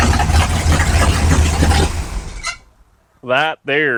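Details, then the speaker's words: 1955 Chevrolet big-block V8, borrowed battery, about 32° timing, belt a little loose: strong steady rumble for a few seconds before cutting out, no knocks or rattles; normal running. "belts a little loose so it's got about 32° of timing in it it sounds"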